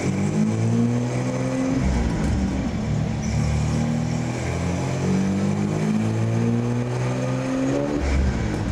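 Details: 1964 Ford flatbed with turbocharged Ford 300 six, intercooler and FiTech EFI, on chassis dyno (377.7 hp, 373 torque): strong steady pull with rising engine note under load, no misses or knocks; healthy.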